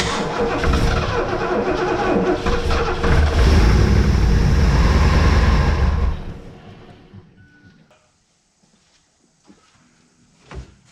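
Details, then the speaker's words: 1971 Lincoln Mark III barn find V8 after freeing a stuck throttle shaft, running on gas poured into the carburetor with the pedal feathered: it stumbles roughly for about six seconds, then dies away to silence; it won't keep running on its own. "Feather the pedal. Yeah, just try to keep it running here. Hang on, I've dumped one more gas in."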